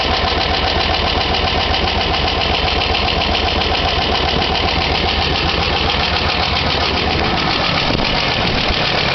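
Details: 1999 Chevrolet Blazer 4.3L V6 at idle: fast, steady ticking over the engine note, keeping pace with engine speed.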